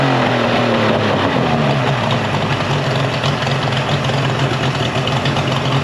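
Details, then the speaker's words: Mercury 50 hp three-cylinder two-stroke outboard after a new switch box restored spark and a clogged telltale hose was cleared; steady, even low drone with no dropouts, running cleanly and smoothly. "So the motor runs great."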